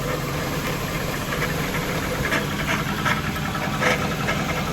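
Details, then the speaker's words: Jaguar XK8 V8 on jack stands, heard from under the car: even idle with a loose, uneven rattle about once a second; owner thinks it comes from the transmission, having found the A/C compressor sounding fine. Cause unconfirmed. "So I'm right under the car now. I think this noise is coming from the transmission."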